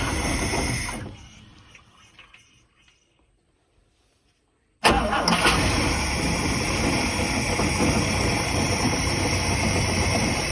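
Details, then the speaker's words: 1967 Chris Craft Roamer yacht, one of twin Ford 427 V8s, unrun for about 11 years: catches at once and settles into a steady, even idle; healthy start and idle. "We got both motors running. The one that was locked up seemed to actually run better than the one that wasn't. It did need starting fluid, and it did have a lot more gas in it, but it idled just fine, didn't seem to give us any issues."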